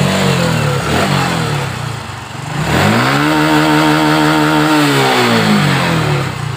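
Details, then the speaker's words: Honda Supra X 125 injection, which stumbled on throttle and wouldn't start, after wiring repair (battery also weak), kick-started: even normal idle and smooth clean revving. "kita engkol temen-temen untuk stasionernya sudah normal"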